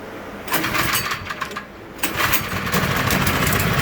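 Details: Troy-Bilt Squall 210 snow blower (model 31A-2M5E711) that wouldn't start after sitting with fuel and surged when it did. After ultrasonic carburetor cleaning it catches, stumbles briefly, then runs evenly and steadily: normal running.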